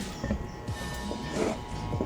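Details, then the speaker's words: Water pump powered but not starting: steady electrical hum with no spin-up, current arrives but the stuck motor shaft won't turn. "It tries to start but it doesn't start, I'm going to bring her closer so that she can listen to it, if you pay attention she tries to start, the current arrives but they don't start"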